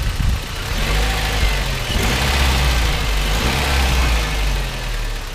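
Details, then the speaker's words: Classic Toyota turbo pickup after oil-leak repair with engine guides refitted: deep steady idle rumble with no chain rattle or slap; not the smoothest engine but running significantly better, no oil or coolant leaks. "now granted these aren't the quietest or smoothest engines ever created but this one's running a significant amount better now"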